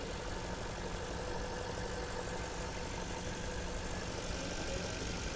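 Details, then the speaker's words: 2012 Porsche Panamera at auction, heard from outside: steady idle with faint uneven throb and hissy background, running a little rough; vacuum leak suspected, not confirmed. "some kind of a vacuum leak or something, it sounds like. I mean, it's running a little bit rough, but this is gorgeous."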